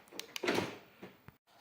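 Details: BMW E90 320d driver's door after replacing the worn, damaged lock barrel/cylinder (new actuator alone hadn't fixed the clicking): a couple of light clicks then one firm clunk as the lock throws, crisp and working properly.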